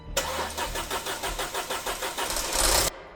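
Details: Audi A4 interference engine, first start after a DIY timing belt and coolant flange job: about ten quick, even cranking beats, then it catches cleanly and the revs rise smoothly. A normal, healthy start.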